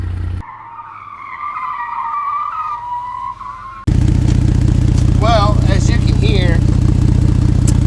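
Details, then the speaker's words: Ford Flex EcoBoost with broken flex pipe, cheap patch repair blown out after a 60-mile trip, idling at 14°F: loud raw puffing beat, much harsher than sealed; exhaust leak at the flex pipe. "as you can see the repair that I tried to do right here didn't really work I took the flex on a 60 mile trip and obviously it blew everything out on me"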